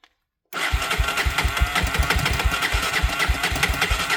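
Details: Honda TRX 300EX single-cylinder engine started on choke after an oil change: after a quiet moment it fires into an even thumping idle, roughly seven beats a second, steady and clean; normal healthy idle.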